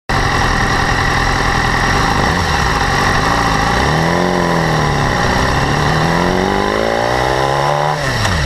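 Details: 2012 BMW S1000RR, about 4,500 km: high-frequency metallic ticking and rattle over the inline-four idle, persisting through throttle blips; absent at first, growing steadily louder; owner asks whether it is valve clearance or the interference-pipe (exhaust) flaps.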